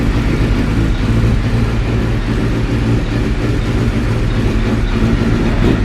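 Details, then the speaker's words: Suzuki GSX-R K7 750 being restored, restarted. Idle drones with a lumpy, wavering low beat instead of an even tick-over; rough idle, owner suspects it is running out of petrol. "Oh. Oh. That doesn't sound convincing at all. But tomorrow I'll go get some gas, pour it in the tank, and then see. I think it's actually running out of petrol."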